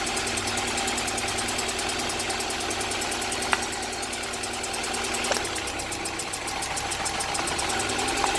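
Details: 1998 GSR at idle with code 73, suspected cylinder 3 misfire; uneven stumbling pulse about four beats a second over the engine hum, rough idle suggesting misfire, cause unconfirmed.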